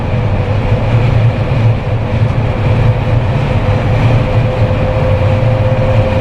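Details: Jeep Wrangler with LED light bar after a no-cost whistle fix, at about 110–120 km/h on the highway: steady low cabin rumble of wind and tires, no whistle or howl; only the wind hitting the Jeep itself.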